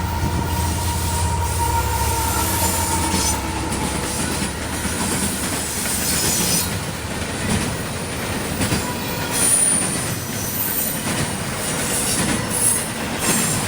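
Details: CSX intermodal freight train passing in Georgia: a rolling rumble and clatter with loud piercing metallic squeals coming and going as the wheels screech on the rails.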